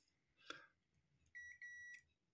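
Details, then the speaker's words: Multimeter continuity test across a relay's closed contacts: a short click, then a steady half-second high beep reading zero ohms, a direct line with full continuity. "so that is a direct there's no resistance there"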